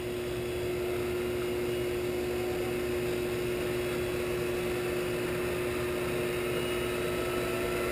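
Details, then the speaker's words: Shopsmith 10ER with Leeson 3/4 HP 2500 rpm DC motor and KBMD240D controller, low range around 1,000 rpm after truing pulleys, no belt guard: steady even hum around 350 Hz, quiet and smooth with no knocks or wobble. "go 1,000 nice quiet and smooth"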